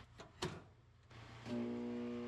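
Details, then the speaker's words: Piranha P50 ironworker three-phase motor, powered on: switch clunk, then a loud steady hum as it bogs down with no spin-up. One leg dropped (about 121/30/121 V) due to a crushed, cut power cable under the machine. "When you turn it on it will start going like a humming noise. It's like bogged down."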